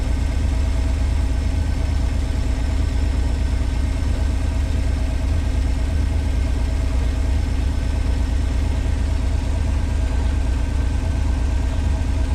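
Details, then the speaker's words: 1986 Pontiac Fiero SE V6 automatic at full operating temperature, idling 1,065–1,070 rpm versus an expected 650–800, hits hard into gear: a steady deep idle that is too fast. Owner suspects vacuum leaks, idle control or sensor problems. "This thing's up to temperature. Idling at 1,065, 1,070. And I'll tell you guys, that's too much with an automatic."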